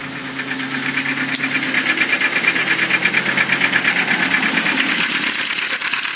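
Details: Ford Focus 2 engine running: sharp metallic ticking about three per second over the engine note, staying regular; engine knock, cause unknown.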